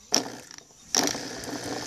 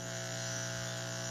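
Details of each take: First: Washing machine drain pump tested out of the machine, plugged straight into the mains: a few clicks then a light rattling whir, partly from touching the table; pump spins, reasonable noise, expected to last. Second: Washing machine drain water pump tested on a table: even, steady low hum with no rattle, scrape or wobble; pump runs quiet and healthy.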